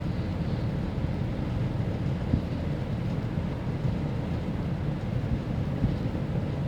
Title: Split AC Abnormal Sounds and Vibrations